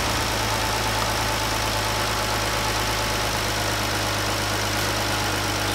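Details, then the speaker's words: 2014 Jeep, normal idle after replacing the faulty #5 fuel injector, fitting new spark plugs and intake plenum gaskets to fix a misfire: smooth, steady idle with an even hum, no stumble or miss. "but for now everything is running good so I'm gonna call this one done"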